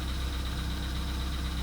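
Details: VW Polo Sedan (CFNA), 102,239 km, cold start at −2.5 °C, oil not fresh: steady cold idle with a faint quick tapping on the low rumble, knock lingering about two minutes after startup, cause not pinned down.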